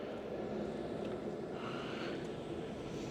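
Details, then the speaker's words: Francis Energy CCS DC fast charger in Hobart, Oklahoma, heard just after starting a session via app: soft, steady whirring hum with constant low tone as the charger's cooling fans kick in, running normally; session then delivered about 65–75 kW. "Let's see. I do hear the fans kicking"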